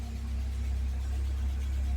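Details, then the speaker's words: 1979 Fiat idling after a new fuel pump, relay and fuel pressure regulator, with the engine said to run beautifully. Smooth, steady low hum with an even beat and no knocks, ticks or misses: normal idle. "And the engine runs beautifully."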